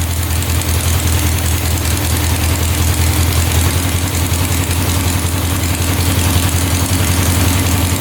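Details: 1967 Volkswagen dune buggy, non-runner revived: steady, slightly lumpy low idle with deep even exhaust beat, no knocks, smoking; automatic choke not turning off, stuck shut, running rich; owner suspects a temp sensor controls it.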